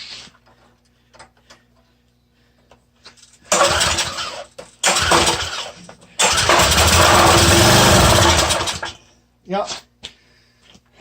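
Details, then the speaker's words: Small curbside-freebie engine fires in short bursts of a few seconds, then dies each time and won't sustain running; owner thinks the carburetor needs tearing apart or replacing. "it fires you know that's a good thing it might be just that it wasn't running and they decided they'd steal blonde off it or couldn't keep it running so all we got to do is tear the carburetor apart"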